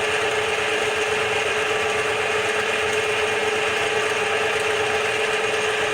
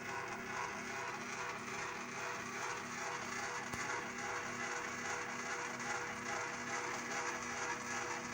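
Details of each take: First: Bench-top DIY CNC mill making its first facing cut on a small steel piece, 3-in-1 oil as lubricant; smooth, continuous rasping cut with steady ring, no chatter or stalling, normal, halfway through. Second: Bench-top DIY CNC mill running Mach3, rapid move over about 7.5 inches at roughly 450 velocity; steady buzzing stepper whine with uneven ripple and visible wobble, a velocity issue; fix: motor tuning velocity lowered to 10, acceleration to 5.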